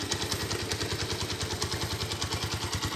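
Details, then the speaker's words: Honda Tiger Revo (Tirev) 2012, stock, warm idle. A steady, quick lumpy single-cylinder beat with a bit of top-end clatter and a characteristic aggressive sound; normal idle. "sudah stasionernya untuk Belanya kalian bisa dengar masih galak banget suaranya masih ada Tebet untuk 2013 stasioner memang lebih halus banget"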